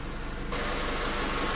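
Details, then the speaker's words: 1997 Honda Accord EX 2.2L after ECT sensor work for P0118, warm at about 200°F while bleeding coolant air: steady idle, then a rush of air noise as the cooling fan kicks on for the second time; the engine stays smooth. "right the fans have come on twice now i'm just waiting so that there's little to no bubbles coming out"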